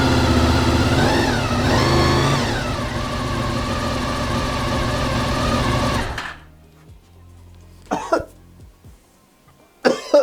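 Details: Honda VFR 800 V4 after replacing suspected faulty ECU and HISS immobiliser system, brief start at night: catches and runs smoothly, quick blips rise and fall cleanly, then shuts off; normal running.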